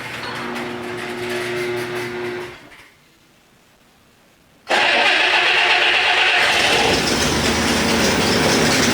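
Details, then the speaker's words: Abandoned 1962 AMC Rambler Classic Deluxe petrol engine, carburetor cleaned and new fuel line fitted, on its first drive in nearly 50 years: steady idle hum, then a loud raspy roar from an exhaust leak. "oh yeah the exhaust leak we're going to have to take care of that exhaust leak"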